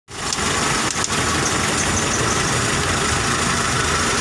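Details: Car engine idling roughly with an uneven, stumbling low beat under a hissy wash, typical of a misfire.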